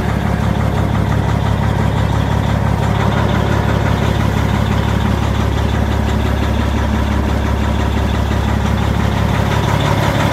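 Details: 2005 Peterbilt 379 EXHD on a dealer lot, key-and-push-button start with the clutch in: a deep, steady diesel rumble at an even idle with no knocks or misses; a healthy idle.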